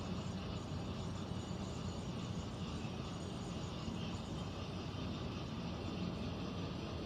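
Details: Central air conditioner air handler, heard in a bedroom and seeming to come from above the closet, gives a steady low rumble with an airy rush and no clear rhythm; abnormal noise, source unconfirmed, possible leak questioned.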